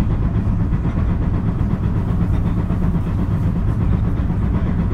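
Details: JR 223 series set W17 local train, Osaka to Kyoto, running onboard: steady rail rumble with a repeating thump timed to wheel rotation, an abnormal wheel flat sound.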